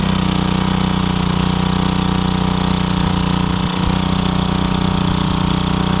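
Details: Craftsman wheeled two-stroke weed trimmer, long-sitting with missing spark plug, started with a few squirts: steady, busy buzz holding even speed, no stumbling or surging; runs properly now.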